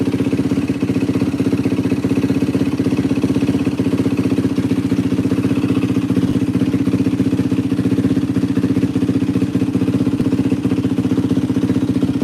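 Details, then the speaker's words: 2004 Yamaha WR450F single after carburettor rebuild kit, pilot mixture screw 2 turns out: steady, even thumping idle at constant beat, no misses, stumbles or knocks; runs great, float adjustment may still be needed if it leaks. Normal idle. "Damn, this thing fucking runs amazing. Sounds freaking great."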